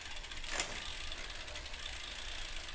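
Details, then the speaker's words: Rear derailleur (MTB or road bike) after cable tension adjustment to cure shift lag, shifted while cross-chained to the easiest ring: a single crisp ratchet click onto the next cog, no grinding or chatter; clean, correctly adjusted shift. "And here, see, now you don't hear that sound because so don't be sitting there going, "Whoa, that sounds like crap." No, it's adjusted the right way. We were cross-chained."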